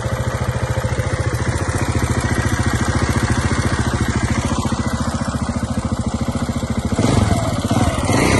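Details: 2009 KTM 690 Enduro R single-cylinder idling with light ticking from the left side of the engine; rocker roller arms seem OK, valve clearance in spec, manual cam chain tensioner fitted with no change; cause unknown.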